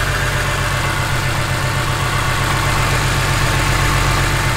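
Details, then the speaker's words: BMW E46 M3 on an alpha-N tune, with the mass airflow sensor piggybacked onto the air temp sensor; service engine light on. It struggles to idle, with an uneven loping idle and a rattle on top. Owner is unsure of the cause and suspects the MAF wiring. "the uh the service engine light is on occasionally it tries it struggles to idle and then it makes this rattling noise"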